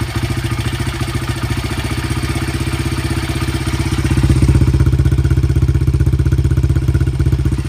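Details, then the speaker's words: 2013 or 2015 Honda CRF80 idle after turning the air mixture screw one turn from the factory two-turns-out lean emissions setting, which made it miss: small single with an even, steady pulse about four beats a second, no skips; much more stable normal idle. "A lot more stable idle."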